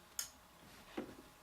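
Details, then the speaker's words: Philips 2xF30T12 fixture converted from instant start to preheat with glow starters: a sharp click, then a softer clunk under a second later as the starter drops out and the tube strikes; a normal preheat fluorescent start. "So as you can see, the starters give off quite a nice glow when there's starting up the lamps. Quite like that."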